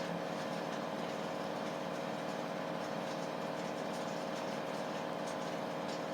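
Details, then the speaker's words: 11-year-old Samsung WF419AAW/XAA front-load washer after repair for tub wobble, spin banging and not draining: a steady, even high-speed spin whir with no banging, running smooth and balanced. "so here it's going good high speed and walk with my feet"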